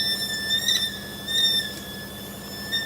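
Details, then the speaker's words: Semi-truck trailer air line: constant high-pitched scream holding its pitch with slight pulsing, compressed air escaping from a loose, leaking line, possibly why tire pressure was low. "this thing is bad and it's leaking let's see if we can repair it"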